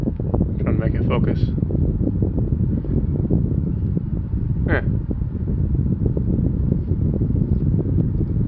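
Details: MrCool 18k BTU DIY single-zone mini-split outdoor unit heating in a blizzard (Winter Storm 2022), after defrost cleared ice; steady even fan whoosh with low hum under gusty wind, no rattles or surging; normal heating operation.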